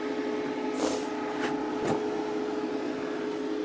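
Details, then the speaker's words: WFCO WF-5110 1000 W inverter newly DIY-installed in an Airstream RV, first power-on test: smooth, even fan whir holding one pitch, no rattle, wobble or vibration; normal cooling fan operation. "It works. I can hear a fan. Yeah, I like this location because it gives it a lot of room to function as far as take in air from, this is not sealed great. Sounds like it's not doing anything bad, like vibrating or anything."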